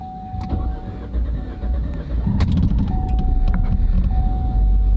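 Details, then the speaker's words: Car with lean code P0171 and throttle actuator code P2101, after tune-up and codes cleared: short crank with chime beeping, catches within about two seconds, flares then drops to about 1000 rpm; healthy start. "muy leve Miren qué bonito está arrancando a unas 100 aproximadamente y ya empezó a bajar"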